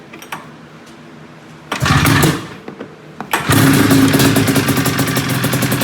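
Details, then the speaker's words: 1997 XC 700 twin two-stroke with early twin pipes, SLP jetting (pilot 45, 6.5 slide, 1370G needle, clip 4), running a swapped CDI; catches after a couple of cranks and settles into a crisp, clean-revving rattle, sounding good. "That sounded pretty good."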